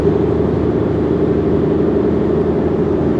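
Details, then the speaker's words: Volkswagen Jetta driving at 50 mph on smooth pavement, tires already balanced: steady low droning hum heard in the cabin from a failed wheel bearing, not tire or road noise. "Right now I'm on smooth pavement and I'm driving only 50 miles per hour, so there's minimal wind noise, but you can kind of really hear the humming from the wheel bearings. Again, it's not tire or road noise because I already had the tires balanced and they're all good."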